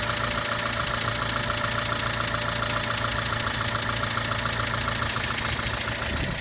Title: 2006 Honda Element K24A4 engine, louder engine noises after valve adjustment